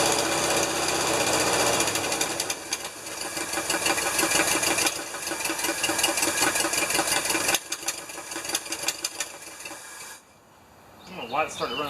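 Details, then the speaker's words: Rescued, long-stored 1975 Lincoln Continental running on fuel poured into carburetor bowl, no fuel being pumped: loud uneven clattering run that stumbles then cuts out; owner suspects carburetor ran out of fuel. "oh carburetor probably ran out of fuel it was probably supplementing probably not doing enough to run it but it was probably supplementing"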